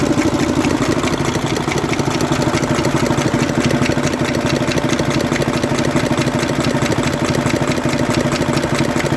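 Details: 2009 Mercedes Actros six-cylinder diesel at idle: loud, sharp, cracking knock in time with the idle from a seized rocker arm roller on cylinder three.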